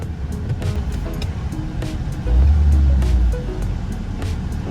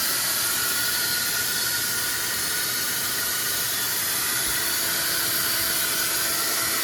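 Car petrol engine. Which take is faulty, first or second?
second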